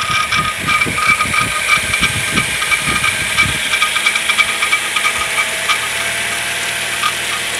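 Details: Suzuki engine recorded from under the bonnet: fast dry rattle about three per second over the running engine, fading to a steadier tick; engine taken apart but cause not found.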